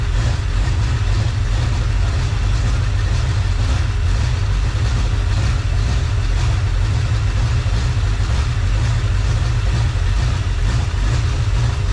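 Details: Freshly rebuilt small-block Chevy 350 (roughly 355) on its first run, still cold (under 120, about 69 lb oil pressure): a deep, steady, smooth idle around 750 rpm with no knocks or ticks. Normal idle.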